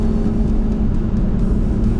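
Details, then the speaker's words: 1999 Toyota 4Runner (3rd gen), mostly original parts, while driving on bald noisy tires: steady low whine over road rumble, worse when lifting off gas; rear end whine, owner suspects pinion bearing or coast-side gear backlash. "noise coming from the rear end. My suspicion is it's either a pinion bearing or uh maybe it's the backlash in the gears."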